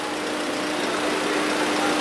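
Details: 2014 VW Polo 1.6 petrol with 34,000 km idling smoothly and evenly after belt, tensioner and water pump replacement and coolant bleeding: no squeal, rattle or whine, normal engine operation.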